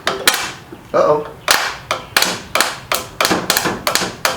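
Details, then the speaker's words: Engine likely run until it quit, oil like sludge: starter jumped directly gives sharp separate clacks about twice a second with no cranking spin; engine is locked up. "trying to do something but it ain't gonna turn anyway because the motor is locked up"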